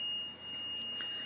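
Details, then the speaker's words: Continuous, steady, piercing high-pitched shriek in a quiet apartment. The source is unconfirmed; it is suspected to be a Comcast box on the floor. It is not the fire alarm (battery pulled) and persists with all power turned off. "it's not coming from the fire alarm you've been pulling up battery we turned off all the power and it still was going on but it's this shrieking noise"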